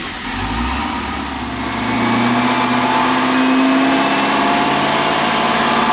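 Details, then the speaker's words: Whipple-supercharged Camaro pulling hard on a dyno, pump gas, 13.5° timing, 965 at 18 psi: steady high whine climbing with revs. This is the blower's normal noise, though it sounds like something is wrong. "Whipples, I mean, if you've ever heard one in person, like, you think something is wrong with it."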